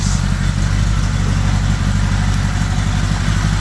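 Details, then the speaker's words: 1975 Honda GL1000 Gold Wing flat-four after water pump reseal with new gaskets and O-rings, left running to warm up: smooth, regular low idle rumble with no ticking or uneven beats, no leaks seen. Normal idle. "Right now, it's sounding pretty good. So, I think we might have a winner, finally."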